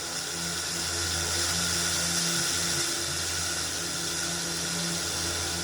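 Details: Old Philips RR286 radio cassette recorder under repair for no-sound fault, switched on: steady even hiss with faint low hum, no crackle or dropouts; amplifier and speaker working, radio untuned static before channel tuning.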